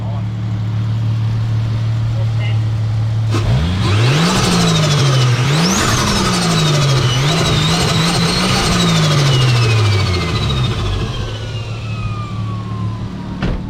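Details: Ford Fairlane with automatic gearbox, just after a turbo swap (old turbo had started going bang; now about 15 psi boost). Several sharp revs each bring a clean whistle rising with engine speed and fading smoothly on release. The turbo spools normally.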